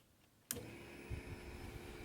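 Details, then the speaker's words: BMW E46 325i with no crank, no start and no DME communication (terminal 15 only about 5 V), main relay grounded manually: click, then steady whir and whine as the fuel pump primes and the fan runs; DME still dead. "and now you can hear the the fuel pump primed the ECU fan comes on I think I hear the throttle also"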